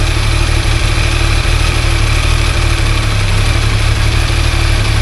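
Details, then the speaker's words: Yamaha three-cylinder crossplane (Tracer) motorcycle idling: loose uneven metallic rattle that grows when the clutch lever is pulled slightly, from play in the clutch basket and its damper springs. "porque na hora que a gente aperta a embreagem eu tendo a abrir Expandir os discos separadores os discos de frição e o barulho aumenta se tiver alguma folga na Campana"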